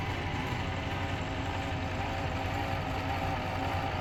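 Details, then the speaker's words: Pfaff Hobbymatic 807 sewing machine after fix: steady, even motor hum with no buzzing or rattling; the earlier buzz came from a flat spot on the motor's rubber drive wheel riding on the hand wheel. "This no longer has the typical buzz for the uh FA Hobby Matic 807. This is what it sounds like now."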